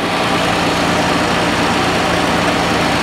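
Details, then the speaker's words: 1962 Dodge D300 old six, air cleaner on, idling: steady, even drone "like a sewing machine", no dips, misses or ticking; oil gauge not working. "all right while it's sitting there idling like a sewing machine"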